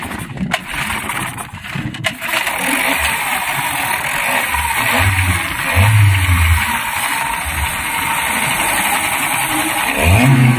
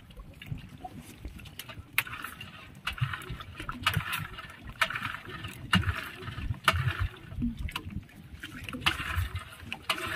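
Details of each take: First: Yamaha 15 hp outboard that was hard to start due to a leaking cylinder head gasket, after head cleaning and gasket replacement, fuel primed: catches after a couple of pulls, revs briefly, then settles into a steady idle; normal start. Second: Yamaha 15 hp outboard, good ignition, choked and fuel pumped: cranks but barely fires, sharp sneeze-like hissing spits about once a second from the upper exhaust; hard starting caused by a leaking cylinder head gasket.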